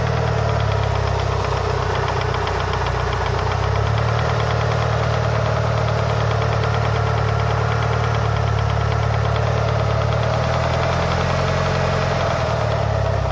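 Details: Mitsubishi Lancer Evolution VI 4G63T after a track day, warming up at 75–80°C oil temp: steady light top-end knock at 3–4/s, loudest near cylinder 1, silent cold and quieter fully warm. Lash adjusters cleaned and bled without improvement; rod knock or lifters unknown.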